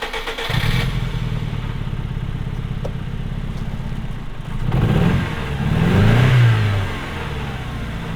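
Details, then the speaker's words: MG ZR, long off the road, revving after new ignition parts were fitted in France: an uneven, stumbling exhaust beat that never smooths out, with vibration felt; it is still misfiring, with a stronger spark, and the engine cause is not yet found. "So we've put all the new parts on. Didn't quite fix it. It's still misfiring. Something in the engine."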